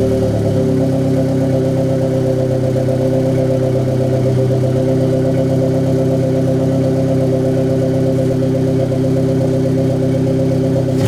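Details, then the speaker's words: Turbo-build engine restarted after reinstalling the blow-off valve, idle being adjusted: even, steady idle hum with no misses, surges or knocks, slightly lower than it normally idles; a stable, healthy idle. "Perfectly fine. For right now, it's idling. It might be idling a little high. No, actually, that's lower than where it normally idles."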